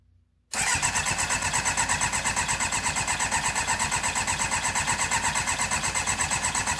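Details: MV Agusta 750F4 custom cafe racer: steady, fast cranking at about three beats a second that never fires; crank no-start. A spark tester shows spark, so the owner suspects a fuel delivery problem.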